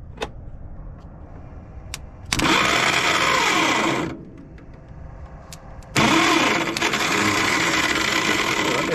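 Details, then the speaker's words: Caterpillar D8H bulldozer sat 15+ years, after freeing stuck governor rack: two long harsh grinding bursts as the starter tries to crank, different sound at end; owner thinks starter drive teeth are gone, starter judged not savable. "different sound at the end that's all buggered up I think the teeth that were there are gone"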